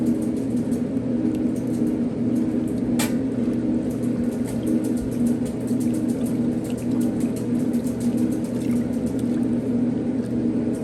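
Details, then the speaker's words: 1960s Maytag washer mid-cycle: steady low motor hum with even agitation and light ticking, no grinding or squeal; motor sounds good, no major leaks, possible pebble in the pump. "no major leag so far motor sounds good"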